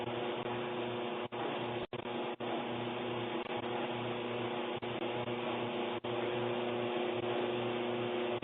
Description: Our Kenmore Elite dryer (made by Electrolux) is making loud noise.